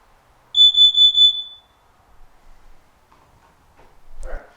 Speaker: activated carbon monoxide alarms will make four faster beeps pause then four more faster beeps repeating this pattern